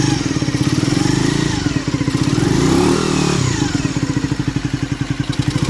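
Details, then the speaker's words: Skyteam Ace 50 moped, brand-new Zongshen HY50 4-valve twin-cam engine (Honda Dream 50 copy), not yet run in, two-into-one exhaust, kickstarted cold; even quick putter picking up cleanly on a blip and settling; normal cold idle and revving. "well it's still cold but that's the sound I think it's a great sound for such a little engine"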